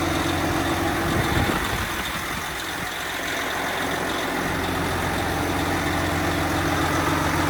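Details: Freshly rebuilt 12.7 L Detroit Series 60 diesel, after electronic runaway traced to possible moisture arcing harness pin connectors and cleaned: steady, even low rumble with no hunting, surging or misses. Normal idle.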